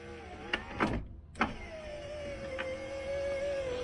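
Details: 1990 Range Rover 3.9 LHD: relays click, then the window motor hums steadily and fades, the lift stopping short or not working; root cause identified as the window lift ECU, suspected dry joint.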